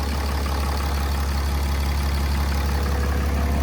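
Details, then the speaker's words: 2nd-gen Dodge Mega Cab swapped with a 6.7 Cummins, first fire with full 5-inch exhaust, cold; deep, even diesel rumble at steady low idle with no misses, knocks or hunting, idling smoothly. "to finally get it to fire, but here she is. She's purring like a kitten."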